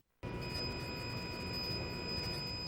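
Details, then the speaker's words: 2010 Toyota Prius hybrid setting off: steady high-pitched whines over a faint hum from the engine compartment, the electric drive motor operating; normal hybrid sound, not abnormal. "the engine compartment. This is the sound of the motor in operation."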